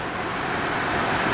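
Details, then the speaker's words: Ford Freestyle idling after replacing the screaming idler pulley under the alternator (alternator was not the cause): steady, even idle with a smooth whoosh, no squeal from the belt drive; accessory pulleys sound healthy. "As you can hear, sounds perfect now. It wasn't the alternator."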